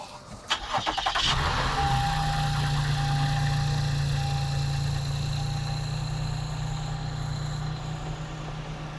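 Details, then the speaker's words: Salvage-auction vehicle with sunroof water damage, no milk in the oil, first start on the lot: quick crank, clean catch, then smooth steady idle with even low hum, no misses, knocks or dash lights; normal start and idle. "Man, it purrs like a kitten, just like we expected, right? Just like we expected."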